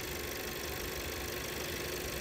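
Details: 2017 VW Passat 1.8 idling in the first minutes before its random all-cylinder misfire sets in: a steady, even hum with no stumbles or skips; the fix was a camshaft adjustment sensor replacement.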